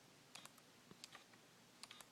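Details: Canon S100 compact camera, newly bought: sharp clicks in small clusters while zooming in, precisely between 28mm and 35mm; silent elsewhere and smooth when zooming out.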